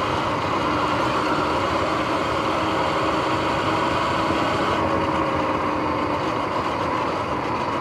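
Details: Sur-Ron X electric bike on an early evening ride, before the noisy bearings were replaced: a constant whirring drone with a faint steady tone under the riding noise, from rough, worn bearings.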